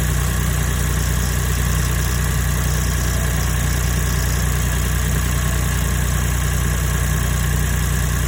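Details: Daihatsu Copen LA400K KF engine after water pump replacement for abnormal noise: loud, steady, even idle with no whine, squeal or knocking; normal state after repair.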